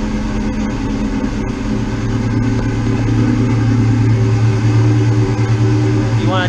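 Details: Ford Mustang GT (99-04) idling right after swapping the stock 105 amp alternator for a new SR Performance 130 amp unit; steady, even low rumble, no misses, squeal or belt whine, no battery light; normal idle, charging sounds healthy.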